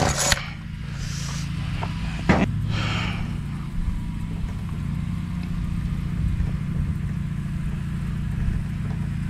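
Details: Ryobi RY253SS two-stroke weed eater, dumpster find, after replacing leaking carburetor, started on half choke: steady low-pitched buzz, no misfire or surging; carburetor install successful, running normally though carb may need minor adjustment.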